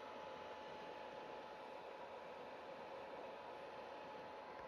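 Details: PS4 console: loud, even hiss with a faint steady whine underneath and no rhythm; console fan running noisily.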